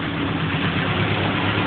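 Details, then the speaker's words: 1978 Triumph Spitfire after head gasket replacement, with new carburettor needle valve and fresh 20W50 oil, running without choke while warming up: steady, even idle with a soft low rumble, idling better though mixtures are not yet tuned. "uh no choke as you can see it's iding a bit better you can hear it's not tuned 100% yet"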